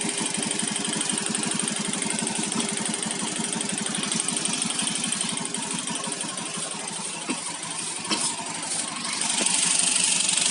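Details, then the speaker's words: Electric scooter (owner's own): steady tick-knock about four times a second, suspected worn rollers, but rollers fine; cause was a loose spark plug cap. "Ternyata di bagian sini ya, di kop businya ini ada yang kendor. Lihat nih, ada yang kendor nih di bagian sini ya. Itu timbulnya suara kotok itu ya, tek."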